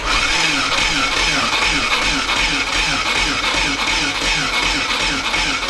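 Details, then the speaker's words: VW T3 Combi with swapped Subaru engine, cranked on a small new Peugeot 206 battery since the original was dead: slow, laboured cranking about 2.5 turns a second that never catches; cranking too weak. "Et encore c'est un peu faible. Hein. Sinon je vais aller voir Seb, je vais aller chercher une batterie plus grosse."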